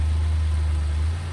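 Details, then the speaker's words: 2015 Lexus (lot stated as RS350) started with a jump: quiet, easy start, then a low, smooth, even hum with no knocks, ticks or misses. Normal idle. "You can hear that it was very quiet and started up very easily with the jump."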